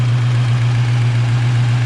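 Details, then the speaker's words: Rebuilt Ford 302 V8 with GT40 top end and cam on stock speed-density ECU, freshly built, rings still wearing in before break-in; deep steady burble, even pulse, no knocks, after a sticking lifter pumped up; normal idle. "Look at that. That sounds good, don't it? Rings are still wearing in."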